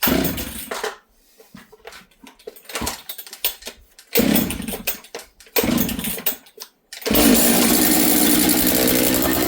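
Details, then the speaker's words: Husqvarna 66 chainsaw, bench run after assembly, first start when dry, broken stop switch: sputtering bursts then a high, thin steady buzz idling too fast and slow to return to idle; running lean, attributed to air density. "You guys hear that? The saw is a little lean."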